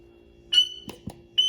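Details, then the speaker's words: Check valve on a Zama carburetor under pressure testing: two short, thin high-pitched squeaks as air is pushed through; it holds vacuum in the other direction, so the valve opens freely one way and is working properly. "and you can hear it squeak when the air goes through it so that one's working"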